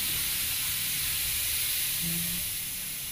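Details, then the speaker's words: Iwata Takumi Eclipse airbrush with the air pressure dropped right down: a steady soft airy hiss with no sputter or pulsing, quieter toward the end; it flows and atomises evenly and very finely at low pressure. "And as you can hear that now, that's dropped right down. And super, super fine, guys."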